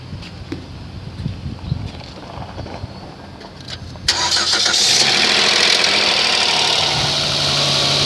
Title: 2011 Sedona engine noise on startup